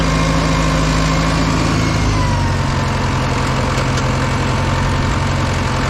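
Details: Old Caterpillar 955L track loader that sat unused in a yard for many years, started on old diesel fuel: steady, deep diesel idle with an even low rumble and no knocks or misses; engine running healthy.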